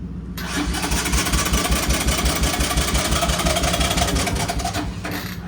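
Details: Three-wheeler ATV, cold start, choke pulled, battery just recharged after being dead: starter churns steadily at about three turns a second for several seconds but the engine never catches.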